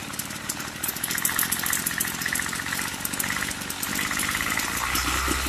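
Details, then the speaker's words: Craftsman two-stroke weed eater after turning the low-speed screw up about an eighth of a turn: raspy, uneven buzz that stumbles instead of holding a steady idle; suspected lean carburetor mixture still off. "Sounds like it's not getting enough fuel. So I'm going to turn the low screw up. Just about an eighth of a turn."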